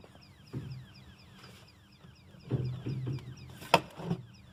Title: Electrical Switchboard Chirping Sound